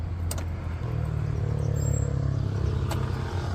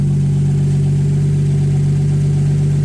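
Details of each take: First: Ford Ranger with 1JZ-GTE turbo swap, new battery fitted: starter cranks the engine at a steady, lively rhythm but it never fires. No start on petrol because fuel was not reaching the rail; the in-tank fuel pump was burnt and replaced. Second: Ford Ranger with 1JZ-GTE swap after valve clearance adjustment (shims made thinner): deep, steady idle hum with an even pulse and no shake or stumble. Idle now smooth; an exhaust leak is also noted.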